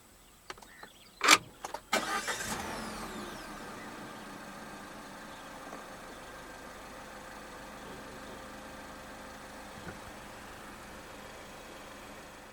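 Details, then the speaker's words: 2021 Peugeot 3008 Allure, 1.6 THP EP6CDT turbo petrol, 6-speed automatic, push-button keyless start: brief crank, quick catch and short flare, then a quiet, even idle with no roughness; normal start-up and idle. "So to start the 3008, make sure the key fob is inside the car. Put your foot on the brake and press the start button just ahead of the gear lever."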